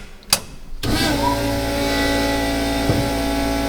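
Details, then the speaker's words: Nissan S14 drift car idling in neutral with the clutch pedal pressed: a steady high whirring over the engine from a replacement throw-out bearing that came in the wrong size (outer diameter slightly larger). The same noise persists after replacement. "Nažalost smo mogli spustiti rundo v Budimpešti, kajti ležaj, potisni ležaj je prišel napačne dimenzije."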